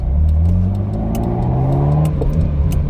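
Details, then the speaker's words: Cheap Ferrari 308 V8 on its first road drive after an engine rebuild, well down on power: a slightly lumpy, uneven note under light throttle, suspected not firing on all eight cylinders. The owner suspects spark plugs failed from long idling during setup. "But yeah, I think it sounds like it did before when it wasn't running on all 8."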